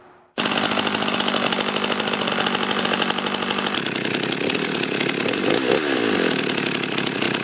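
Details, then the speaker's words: Husqvarna 51 chainsaw started outside: fast, steady idle buzz with chain whir underneath; chain keeps turning at idle, even with idle set as low as possible, from a weak or broken clutch spring, before spring replacement. "start it up and notice how the chain will turn when the chainsaw is idling the chain should not be turning at all when the chainsaw is"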